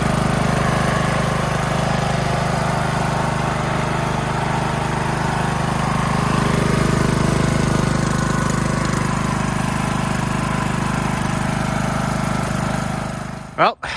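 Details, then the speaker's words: Craftsman LT2000 riding mower, small single-cylinder engine, first start straight off a jumper battery after filter cleaning; runs steady and even with no misses, surging or knocks, burning off smell. Normal running; the mower's own battery is stone dead, so it won't stay running without the jumper battery. "she runs. She actually runs pretty good."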